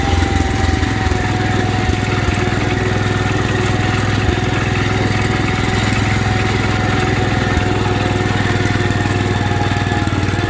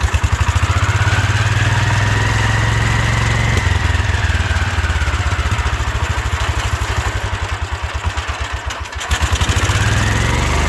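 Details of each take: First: 1972 Wheel Horse Raider 12 lawn tractor, revived after 15 years in a shed, idling in a basement: a steady, even single-cylinder beat with no hunting or dying. It previously died when idled down; it now idles normally. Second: 1972 Wheel Horse Raider 12 lawn tractor, stored 15 years in a shed: single-cylinder races far too high and surges without settling; owner thinks the governor isn't working like it should, revving way too much.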